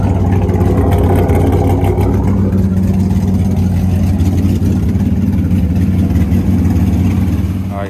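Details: Nissan S15 firing up after finishing installs (oil cooler/relocator kit with gauge, exhaust not yet finished): deep steady running note with a few throttle blips before dying away; runs fine once started, though a rear main oil leak and hard starting appear afterward.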